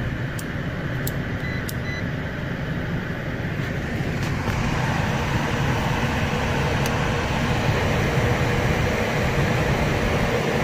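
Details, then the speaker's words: Downflow furnace blower in an office building at 85°F with a no-A/C call, after the blower motor issue was fixed and reassembled; refrigerant flowing, supply air 69°: a steady even whoosh with no rubbing, squeal or knock. Normal blower run. "go ahead and test it out again refrigerant is flowing and blowers on"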